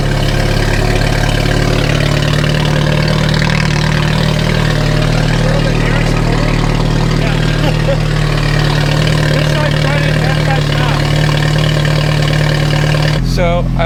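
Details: Ferrari F430 after ECUs swapped left/right, O2 sensor disconnected and codes cleared: lumpy, uneven ragged idle with hollow exhaust note, as if one bank isn't firing; electrical cause suspected, two fuses found cocked in block by battery, unconfirmed.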